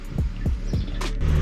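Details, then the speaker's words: Exhaust after replacing the blowing exhaust knuckle and extending the exhaust for a facelift conversion, heard while driving: deep, even low throb about four pulses a second with no puffing or ticking from the joints; sounds much better, normal sealed exhaust note. "The car sounds a lot better. It's not all over the place anymore because of that blowing knuckle that I had."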